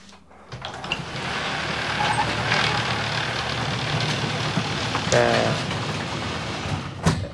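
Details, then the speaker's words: Genie Excelerator garage door opener after broken torsion spring replaced and wound: steady even motor drone with chain rumble for about six seconds, no grinding or banging; door runs up smoothly, normal. "And that went up nice and smooth. We'll go ahead and hit it again and have it come down."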